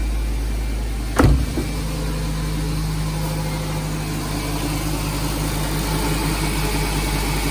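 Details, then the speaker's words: Nissan Grand Livina after replacing the damaged AC pulley set (bearing was making rough grinding noise from belt drive): engine starts with a brief knock, then smooth steady normal idle, noise gone. "Ini setelah kata ganti puli AC, suara mesin normal kembali, tidak ada suara berisik lagi."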